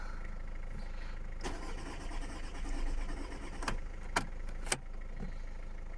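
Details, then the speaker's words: Audi A3, sat about three months, jump-started from a diesel, oil-pressure warning shown: slow laboured cranking in short bursts with sharp clicks, not catching; weak battery suspected, later starts. "first crank with a noisy diesel attached let's see that sounds quicker oil pressure come on you've been sitting for like what three months why don't you want to work"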